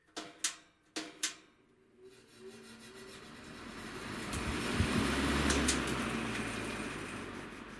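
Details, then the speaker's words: Vintage Breezemaker box fan started with a push-button switch spins up to a steady whooshing hum with a rhythmic throb; the blade is badly out of balance and the owner fears it may hit the housing at speed. "It's also very out of balance. uh badly out of balance, but didn't make a terrible noise or anything."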